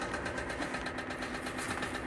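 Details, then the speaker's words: Bryant communicating variable-speed heat pump, control board powered up with new fuse and compressor unplugged: fast, even ticking chatter over faint hum as the electronic expansion valve drives fully open and closed to home itself; normal. "so you hear that noise that's the uh eev so it drives it all the way open and all the way closed that way it knows what position it's in so that's a good sign"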